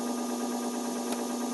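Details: E-bike hub motor driven by its controller at assist speed 2 of 3, during controller troubleshooting: steady, clean mid-pitched electric hum at constant speed, no clicks or grinding; motor running normally.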